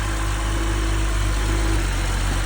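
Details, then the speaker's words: 2011 BMW 640, started on a jump box: smooth, deep, steady idle with an even rumble and no ticks or rattles, dropping slightly when put in gear; engine sounds healthy, normal idle. "started right up to the jump. Engine sounding really good on this one."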